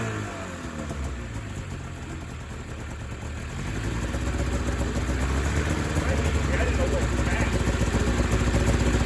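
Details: 2000 Ski-Doo MXZ-X 440 two-stroke race sled, first running after fuel system flush, airbox off: burbly, blubbery idle slowly picking up but staying choked and heavy down low; owner says it's a little fat, loaded up at idle.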